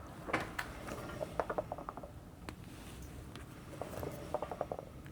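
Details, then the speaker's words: 2006 Ford Explorer XLT 4.0 V6, about 160,000 miles: tire spun slowly by hand gives short bursts of light clicking and rolling ticks, like a marble inside; possibly internal separation or loose rubber, cause unconfirmed. "But one thing that's interesting is as I was spinning this tire around to check the date codes, it sounds like there's a marble inside of it."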